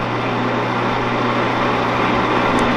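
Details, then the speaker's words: 16-inch Axelson lathe motor after lead identification: steady even electric hum with low mains drone, no knocks or scraping; runs smooth and healthy, though the spindle brake isn't working. "The spindle brake's not working, but this sounds pretty dang good."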